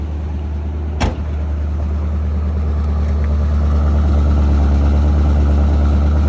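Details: 1984 GMC Sierra Classic V8 just started: a door thunks once, then a smooth, even low rumble with no misses or ticking; 60 psi oil pressure, slightly rich, normal idle.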